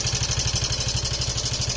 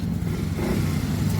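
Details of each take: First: Yamaha Mio i 125 scooter before repair, idling: steady idle around two beats a second with a loud, busy metallic clatter over the exhaust; engine noisier than normal, and it ran quiet and smooth after the repair. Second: Yamaha Mio i 125 scooter after repair, pulling away: low, even hum with no rattles or ticking; now so quiet that almost only the injector is heard, very smooth and more aggressive.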